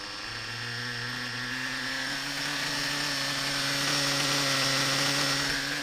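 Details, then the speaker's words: Reds R5 nitro RC engine revved indoors with drivetrain spinning, 3/8 fuel injection line on the pipe (owner wonders if it restricts breathing): high buzzing whine climbing smoothly, no rattle or chirp; "chipmunk" noise gone, normal revving. "so hey man I don't hear that noise man foreign [Applause] I don't hear that noise so I'm gonna say that this red zigen can get"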